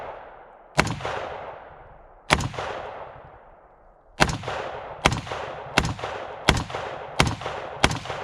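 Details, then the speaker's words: AR-15 with a Bear Creek Arsenal .223 Wylde upper, after fitting a heavier buffer spring and buffer to cure light-strike misfires from the bolt not closing: six sharp shots about every 0.7 seconds with no dead clicks; cycles cleanly. "as you can see no issues still closes back just fine"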